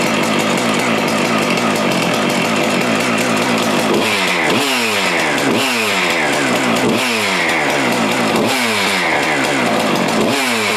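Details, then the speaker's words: Husqvarna 575XP (early 576XP) chainsaw after replacing the failed integral crank seal with a separate radial seal, cover and air filter refitted: it idles steady and revs cleanly in repeated blips with no rattle or hunting; normal running. "I'm going to put the cover and the air filter on this thing and just let it run for a little bit. Listen to it run."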